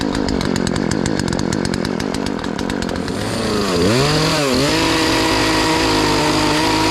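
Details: Poulan Pro PP4218A 42cc two-stroke chainsaw after chain replacement, warming up after choke start: putters evenly at idle, then revs up and down cleanly and holds a steady high-speed buzz; runs healthy.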